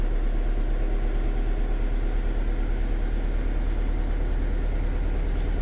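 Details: Car engine idling with a lumpy, slightly erratic pulse, a misfire; mechanic doubted a burnt valve, suspecting valve overlap from weak VTEC solenoid.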